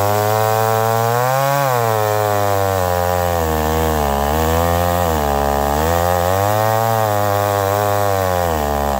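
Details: McCulloch Pro Mac 1010 chainsaw cutting wood with a dull chain, high jet barely open; owner suspects the carburetor. The pitch keeps sagging and recovering every couple of seconds as it loads up, bogging under load. Much better than before, not 100%.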